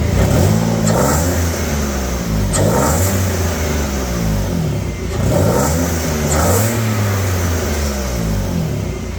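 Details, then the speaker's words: BMW E36 after a tune-up replacing fouled spark plugs (number six worst) that caused no power and massive misfire: repeated rev blips climb and fall smoothly without hesitation or stumbling; engine now revs freely and runs healthy. "it does not hesitate as it revs up like I was doing it before so that's a perfectly good indication that definitely those spark plugs were to go"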